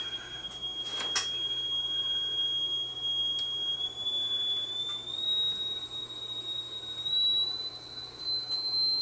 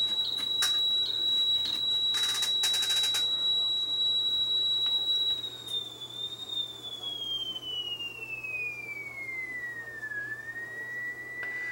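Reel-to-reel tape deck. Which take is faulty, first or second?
second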